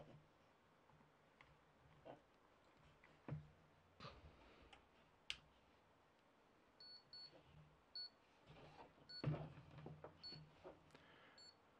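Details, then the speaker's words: Power supply tester connected to a 1000 W power supply gives short high electronic beeps repeating every second or so, warning that a four-pin or six-pin power connector isn't plugged in. "you hear that beeping that's because I don't have this connected to it so I have to plug in I have to plug in a four pin or six pin or something else and make that stop barking at us"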